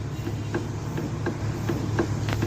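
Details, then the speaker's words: 2008 Honda Civic (Pakistani-made) front suspension; faint, irregular hollow knocks over low road rumble, diagnosed as worn stabilizer (Z) links with play felt by fingertip, to be replaced; worn stabilizer bar link knock. "ठीक है जी, हमें जो है वो इंशाअल्लाह ताला confirm है कि इसके जेड लिंक्स का आवाज़ करें, तो हम सिर्फ उसी को खोलेंगे और चेंज करेंगे तो इंशाअल्लाह ताला आवाज़ ख़त्म हो जाएगी।"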